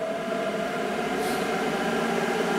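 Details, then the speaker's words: Heater blower fan motor after fitting new EZO 625 (5x16x5mm) bearings, running around three volts and drawing under an amp: even, smooth fan whir with steady tone, earlier vibration noise gone; healthy. "still just sounds like a fan running"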